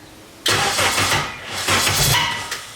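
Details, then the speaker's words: K24-swapped Nissan Cefiro, first start attempt: starter cranks with uneven surges that almost catch but never fire, seems to lock up, lots of fuel; crank no start, ignition timing suspected off. "Timing's off or something for sure. Sounds like. Yeah, it's just weird how like it sounds like it locks up."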